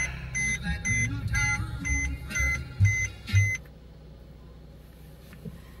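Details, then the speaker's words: Mercedes-Benz GLK350 started after auxiliary battery replacement: short run of clean chimes about twice a second for three seconds, then quiet; normal start. "Well, that message would come up every single time, so I think we are good to go."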